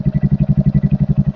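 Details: Royal Enfield Hunter 350 that would not self-start, fixed by installing a new battery (bad battery confirmed by multimeter; charging 13-14.3 V running): even single-cylinder idle thump about ten beats a second with no ticks or misses.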